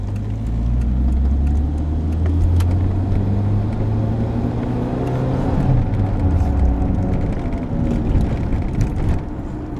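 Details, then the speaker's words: 22-year-old car with 150,000 km while driving: low droning roar under road noise that swells and fades with vehicle speed, typical growl of a worn wheel bearing. "typical noise can be heard for both symptoms this typical noise rise proportionally to the speed of the vehicle rising while it's taking speed"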